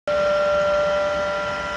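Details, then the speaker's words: Chinese diesel air heater: steady high squealing whine from the blower as its bearings go bad; worn blower motor bearing. "this is what it sounds like when a diesel heater's bearings are going out on it"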